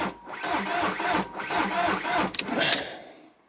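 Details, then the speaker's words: SEAT Ibiza, 135,000 miles, bought at auction, start attempt after new ignition barrel installed: uneven lumpy cranking pulsing about twice a second, never catches; turns over roughly, no start. "Sounds awful. I mean, it turns over."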